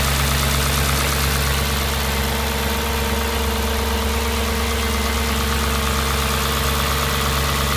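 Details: Audi S4 B6 V8 at idle: a steady low drone with a loose, irregular knocking of roughly three per second; an abnormal idle noise of unclear source.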